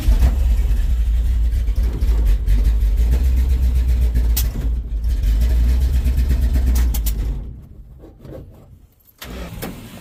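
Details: 1970 Dodge D100 with a Holley Street Dominator intake, new fuel line, choke not connected, an open plug at the back later found unplugged: a steady starter churn at about four turns a second for several seconds, never catching; cranks but won't fire.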